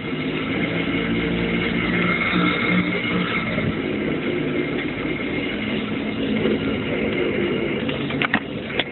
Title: Grinding sound. Jeep